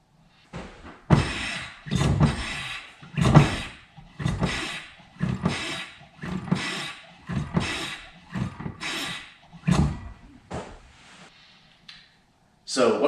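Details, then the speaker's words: 2006 Mazda 3, engine off, pedal never solid since an ABS activation in snow a month earlier; brakes bled and master cylinder replaced without effect: each pedal push gives a short airy whoosh, and the owner suspects a stuck valve in the ABS pump, before replacing it. "You can also tell that it has this problem because it makes a noise, kind of a whooshing noise, when you push down the brake pedal, and the brake pedal, even with the vehicle off, is not solid."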